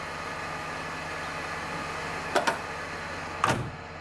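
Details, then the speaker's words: Mercedes-Benz W124 E320 (M104 engine) after DIY engine oil, automatic transmission fluid, oil filter and air filter change: smooth, steady idle around 700–750 rpm, humming evenly with no misfiring or shaking. "oh ya suaranya seperti itu mendengung halus tidak batuk-batuk tidak goyang"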